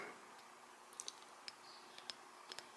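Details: 2002 Acura EL 1.7 (Honda Civic) front right wheel bearing, old bearing turned loose by hand: sharp uneven clicks as balls roll over rust pits and waviness on the race.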